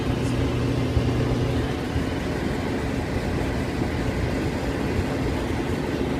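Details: Whirlpool dryer that was not heating, after replacing the burnt wire at the thermal cutoff: even, steady rumble without knocks, squeals or surges; drum turning smoothly, dryer running normally.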